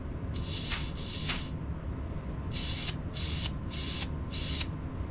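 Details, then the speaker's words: Adec dental delivery unit arm brake switch being flipped: short sharp hiss bursts, two then four, about half a second each; switches should not leak loudly when activated, so the air leak at the arm brake switch shows a significant fault. "Now to get back to our initial problem, we're hearing the change in sound here at the switch. In general, switches should not make a big loud leaking noise when they're activated."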